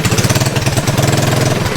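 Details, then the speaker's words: Project mini bike's small single-cylinder engine started on a chilly day after chain work, running with a quick, even putter, steady firing pulses and no misses; running cleanly, normal. "Running like a rare pig."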